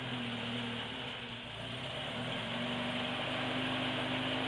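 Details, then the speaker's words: 1976 Alfa Romeo Spider, twin carburettors, cold engine in cold garage with throttle lock; quick fast idle over steady whirr, brief dip then evening out as it warms; normal, ready to drive. "See, I would let it warm up with that amount of throttle lock on it for a minute. It's starting to smooth out now. So you could drive it right now."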